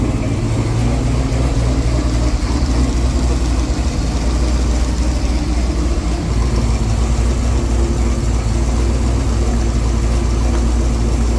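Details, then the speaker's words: Twin-turbo Corvette Z06 V8 warmed up to temperature after fixing a melted fan connector and leaks: smooth, even idle under a hard-running cooling fan, no ticks, knocks or misses; no leaks, healthy. "We got this thing up to temp. Seems like everything's good. No leak."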